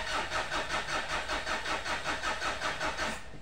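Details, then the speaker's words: Mitsubishi Pajero common-rail diesel, towed in after suddenly failing to start: steady starter cranking without catching; no fuel rail pressure builds. Leak suspected at injectors, supply pump or rail sensor, still being checked. "jadi itu sama sekali jadi pressure sama sekali tidak ada munculkah atau tidak terbentuk ya untuk pressurenya"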